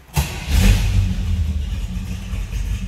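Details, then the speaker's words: 1973 Chevrolet Nova V8: short crank, then it catches at once into a deep, even rumble on high idle. A clean, easy start. "it starts easily. A little rumble out of it."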